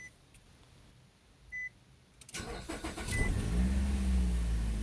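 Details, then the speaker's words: 2008 Nissan Rogue with P0300 misfire, after replacing ignition coils and spark plugs: cranks, catches quickly and settles into a steady, even idle with no stumble or shake; service engine soon light still on; normal start and idle. "all right sounds good so far so far it sounds good"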